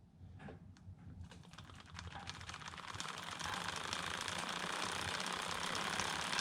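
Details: Homemade short-wheelbase bike on the 11 rear and 39 front sprockets, idler without the chain keeper, mic one hand length away: the chain whirs up to speed with light, even ticking. A smooth, fairly quiet drivetrain.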